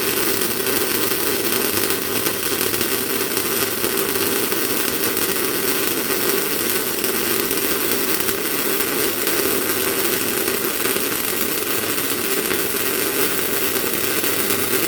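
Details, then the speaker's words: MIG welding with 0.8 mm wire, welder set up properly: steady even bacon-frying crackle for about fifteen seconds then stops; correct amperage and wire speed. "So that's that sort of a consistent sound you want to be listening for."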